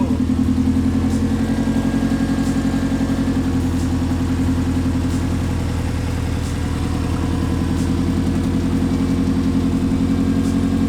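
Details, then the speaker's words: Subaru Legacy just converted to single TD04 turbo with open downpipe, first start: steady flat-four idle with an even throaty burble like a Forester, no knocks or rattles; normal idle. "and that sounds pretty good yo that sounds really good sounds like a Forester it exactly like a Forester"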